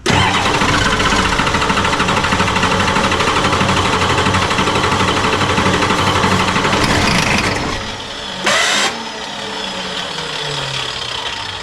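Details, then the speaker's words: 1986 F350 diesel after fuel return line replacement, glow plugs cycled: long, steady starter cranking with uneven stumbling firing that never catches. Air in the lines suspected, possibly a poor signal to the pump. "It's just got a shitload of air in the lines again. Who knows? Maybe the uh the signal to the pump itself is not quite happy."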